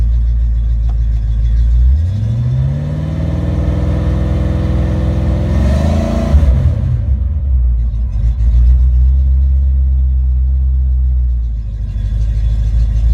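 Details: Ford Mustang with a rebuilt A9L mass air flow ECU (E9ZF-12A650-AA) on test after a no-start: a closed-loop idle at about 800-900 RPM rises cleanly when revved and held, with no breakup or engine light, then settles back. Normal idle and rev.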